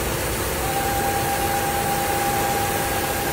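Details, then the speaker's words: Fiat Argo engine at idle: loud steady whistle near 800 Hz that stops when oil filler cap opened; cause is PCV valve diaphragm membrane with broken housing near filter support. "Então, B todo, galera, tá aqui, ó, nessa válvula aqui, ó, membrana diafragma. Tá com a carcaça toda quebrada."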